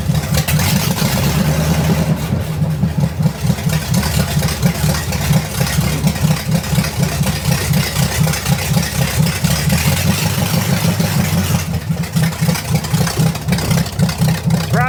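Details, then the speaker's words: Buick Nailhead V8 vintage rail dragster after a carburetor change: loud, lumpy V8 with an uneven beat that stays up and won't settle back off throttle; sticking throttle, needs a heavier return spring. "sticks a little bit that's not good I got to put a heavier spring on the throttle"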